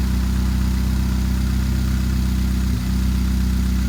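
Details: 2013 Chevrolet Spark small petrol engine idling with an uneven, loping beat and a stumble near the end; misfire at idle.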